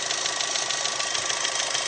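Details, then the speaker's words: Daewoo Gentra: a sharp, fast, metallic knock of about eight beats a second from the intake over the running engine. It stops when a hose is removed and returns when a valve is pressed; no fault code; cause unknown. "вот сейчас отчётливо слышен такой стук Да Кажется что металлический очень страшно"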